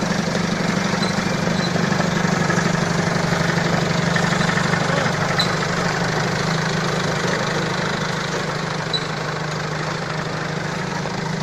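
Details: Balkancar diesel forklift after repair, with engine, clutch, brakes and running gear overhauled. Steady idle with an even low drone and normal light diesel clatter, no knocks or misses; the engine runs smoothly.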